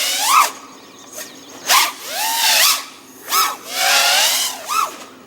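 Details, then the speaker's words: Quadcopter with Aokfly RV2306 2400kv motors on 4S, running tune from previous 2205 2500kv motors: motors whine in short throttle bursts with wavering, warbling pitch; oscillation, likely D-term from unsuited tune. "so it sounds like I'm having quite a bit of oscillation I'm just using the same tune that I had on the 2005 motors so the teens certainly not optimal"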